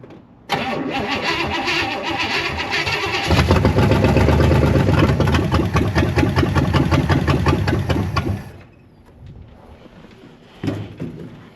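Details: Barn-find big-block with a 750 double-pumper carburetor, old starting fluid sprayed in: even cranking, catches and roars several seconds, then dies back to cranking; fuel bowl likely empty, probably not getting fuel.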